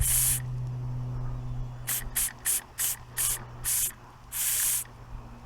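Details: Inherited antique model steam engine, cleaned up and run for the first time in many years, cold start with little steam pressure: uneven, sputtering steam hiss bursts over a low steady hum, never settling into a rhythm. Struggling on low pressure.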